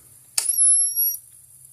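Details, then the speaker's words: Gallagher B-series fence charger after repair, switched from high (about 9,000 V) to medium power (about 8,000 V): sharp snap about every 1.4 seconds with thin high whine recharging between pulses, winding-up noise shorter; normal pulsing. "now we'll go to medium power you'll hear the change the clicking sound the the speed the winding up noise is shorten up a little bit cuz it's just charging a little quicker"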